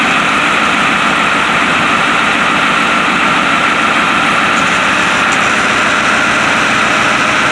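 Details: White 4-175 tractor, first start after rear main frame repairs and a leak check: steady, even diesel running with a constant hiss, no knocks or misses; engine sounds healthy.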